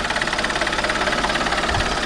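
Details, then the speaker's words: Alfa Romeo 159 1.9 JTDM diesel after new turbo fitted, intake pipe not yet on, so it could not be revved: quick, even idle clatter of about a dozen ticks a second, steady and regular; normal, healthy, quiet for a diesel. "I'm quite happy with that nope that sounds pretty healthy generally sounds healthy"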